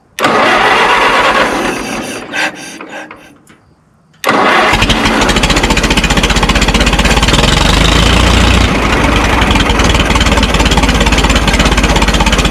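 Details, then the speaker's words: Minneapolis Moline Z tractor after rewiring, carburetor idle screw turned the other way to raise idle: cranks, catches, settles into steady, even beat about three pops per second; normal idle, owner satisfied. "That's better. I like that."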